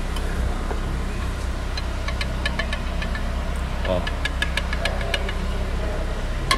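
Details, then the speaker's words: Nissan Kicks suspension noise: sharp, irregular clicks and knocks over a low steady hum from a shock absorber loose at its joint, with no play anywhere else in the suspension; a hard fault to find. "então o amortecedor tava dando barulho certo defeitozinho difícil do cara achar porque na suspensão mesmo não tinha folga de nada"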